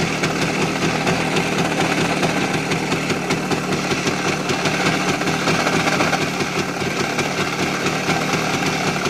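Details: Voskhod 3M two-stroke motorcycle engine knocking very hard at idle and at high revs in 3rd–4th gear, after a new piston and run-in: hard regular metallic rap. Piston checked clean with slight play; owner suspects the crankshaft; not confirmed.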